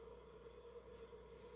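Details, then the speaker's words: Sega Dreamcast after internal clock battery replacement, fitted with GDEMU, loading: quiet steady whirring of its loud fan at constant pitch, no rattle or surging; normal cooling fan. "While we're waiting to load, you can actually hear the Dreamcast. That beautiful loud fan just running in the"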